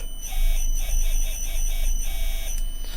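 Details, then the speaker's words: 4-pole 0.18 kW induction motor on a Commander C200 variable speed drive with very short acceleration and deceleration ramps: a high whine swooping up and down about twice a second. The fast, dynamic response is normal. "so it's pretty Dynamic now so if you are doing motion with this um that's a sort of response that you'd want out of the amplifier"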